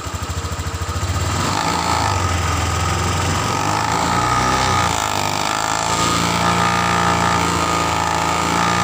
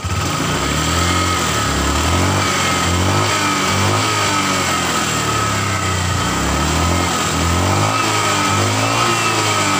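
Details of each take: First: Honda Vario 150 ESP scooter revving from a lumpy idle: silent at low rpm, but a fast rattling krotok-tok buzz appears at high rpm from a loose cover near the rear, which stops when held by hand. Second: Honda Vario 150 eSP scooter revving: smooth, no rattle; earlier clattering at low rpm from the rear area eliminated after fitting a hose at the radiator cover housing and tightening its bolt.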